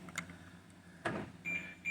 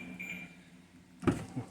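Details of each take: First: 2013 BMW X5 (E70): with nobody touching anything, door lock actuators fire in short buzzing bursts at intervals in a quiet cabin, so the locks cycle on their own; taking the battery out of the key stops it. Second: 2013 BMW X5 E70 with a newly generated key, standing next to the door: two crisp clunks as the doors lock and unlock on command; central locking working normally.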